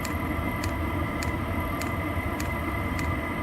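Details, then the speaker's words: New 12V Voyocht diesel heater bench test, after reaching set temperature and dropping from high to low: soft steady blower whirr with crisp fuel-pump tick about every 0.6 seconds, very quiet apart from exhaust noise; normal low-mode running. "if you get rid of the exhaust if you get rid of the exhaust noise like let's say this is outside the unit's really quiet and low I mean it is really quiet and"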